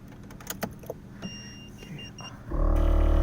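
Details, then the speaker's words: Air suspension compressor (Vera Air Elite management, D2 air struts) on a 2JZ-swapped Rocket Bunny 240SX kicks on after a replacement controller was installed; steady electric motor buzz and hum starts abruptly and runs evenly, a normal start. "Compressor kicks on, as you can hear it."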